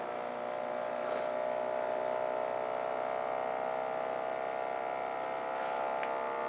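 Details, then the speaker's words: Bedini-style ten-coil pulse motor running below its intended 24 V, drawing about 2 amps and climbing: a smooth, steady hum with no knocks, running cleanly. "so this will just purr like a kitten"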